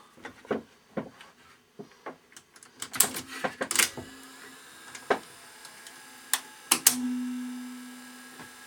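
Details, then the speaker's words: Ferguson 3V22 top-loading VHS recorder (JVC HR3330, mk 3 mechanism) clogged with congealed dried grease; uneven clicks and clunks at irregular gaps then a short motor hum as it starts loading during cleanup; rough loading mechanism. "there's so much of this dried on grease on everything I'll get clean try again I think that thing's coming done look it is at least loading now"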